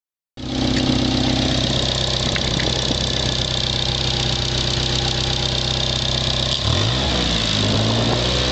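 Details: Car that is stock except for an aftermarket turbo: engine starts and idles with a loose, uneven rattle of about four beats a second. It began after a few runs in boost. The owner suspects a bad valve; the cause is unconfirmed.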